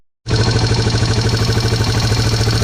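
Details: Yamaha TW200 with a cheap eBay carburetor, after fixing fuel leaking from the bowl overflow and tightening the air mixture screw: it catches quickly and settles into an even single-cylinder patter with a steady pitch and no surging. The idle is healthy and no fuel is leaking.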